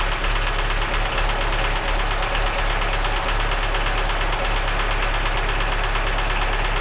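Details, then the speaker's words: Lada Niva that had sat and would not start, run on a jump from another car's battery: loud, coarse idle with an uneven, lumpy beat of roughly eighty-odd per minute, clattering like a tractor; rough-running misfire, cause unknown. "हा हा हा... लाडा !! Tractor लगता है !! महान!"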